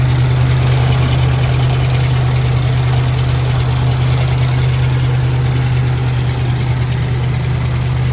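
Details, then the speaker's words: 1997 Lincoln Town Car Signature V8 idling after a start: a loose, uneven front-of-engine clatter about three taps a second; possibly the timing chain or the supposedly replaced tensioner; it dies on throttle; owner suspects miswired plug wires. "yeah here's some rattling around the front there I don't know if it's a timing chain rattling or the tensioner supposedly that stuff was supposed to have been replaced"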